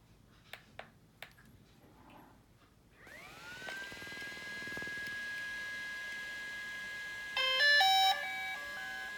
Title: Phantom 4 Pro won't start